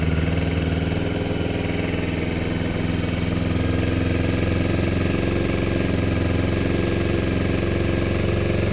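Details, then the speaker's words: Kawasaki Ninja 250R cold start after winter storage, choke on: twin idles fast with light even tick, sometimes scraping, over exhaust beat, apparently only when cold; source unclear. "I don't know if you can hear that right now, but there is a ticking sound, which is coming from this area. That's basically what I've been hearing."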